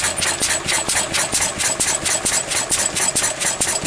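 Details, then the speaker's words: Pre-electronic engine smoking while its fuel mixture is set; loose, regular puffs about twice a second, lumpy and slow-firing, eight-stroking because the mixture is too rich. "And you can see the smoke coming out. Well, that's because it's too rich a mixture."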